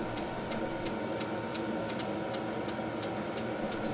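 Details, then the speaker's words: Fuel pump of a VEVOR Chinese diesel heater heating a shop (12–13°C room), 12 V battery at 11.4 V, exhaust at 193°, running after startup. Crisp, even ticks about three a second over a steady fan rush as the pump doses diesel into the burner: normal fuel pump ticking. "After the controller is done with the starting procedure, I can hear the burner burning and I can hear the fuel pump pumping the diesel fuel into the burning chamber."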